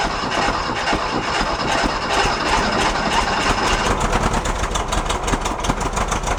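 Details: 1969 VW Fastback, sat 19 years (last inspected 1998): ragged, uneven firing that surges and sags, running only on gas poured into the intake from a bottle; fuel injection delivers no fuel to the line.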